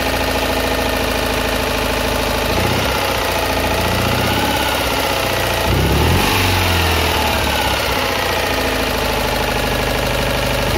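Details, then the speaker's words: Citroën Ami 8 flat-twin, warm, run without its cooling fan: uneven, stumbling idle with occasional dropped firing strokes and coughing through the carburettor; points spark heavily, weak plug spark; owner blames the ignition condenser for the misfire. "Donc là voilà, on a pu voir que le condensateur déconne. Qu'il y a des gros ratés d'allumage aussi. Donc là franchement ça vient de ça."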